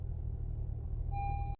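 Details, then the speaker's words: 2018 Honda CR-V after new spark plugs for P0303 cylinder 3 misfire: low, even idle with no shake or stumble and a dash chime; misfire shaking gone though warning icons remained before battery and corroded ground contacts were addressed. "Okay, so all the icons are still on there. They didn't go away. It's not shaky anymore, but everything else is still there."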